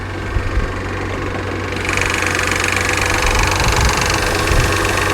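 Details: Salvage-auction car at idle, heard under the hood, slow to engage Drive and Reverse and burning oil with smoke from the exhaust: uneven rapid ticking-knock, roughly four per second, over a rough idle; something wrong, cause unclear.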